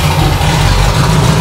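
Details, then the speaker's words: 30-year-old Range Rover Classic V8 just after first start in 7 years: deep lumpy, uneven idle, no knocks or bangs, revs poorly; new spark plugs, old leads; suspected airflow issue, loose wire or corroded distributor; rough idle. "it sounds sweet the engine when it's running there's no knocks no bangs we just need to sort the rough idoling out and it's not reving so well"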